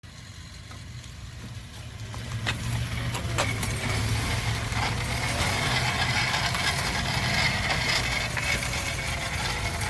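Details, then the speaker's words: 2013 Subaru Crosstrek on a test drive: rough metallic grind with faint scraping over road rumble as speed rises, mostly from the right front; the front backing plates, bearings and calipers are being replaced due to rust. "we got grandma's 2013 subaru crosstrek we uh did a test drive we got a a grind it's mostly sounds in the right front but i've already started on that one"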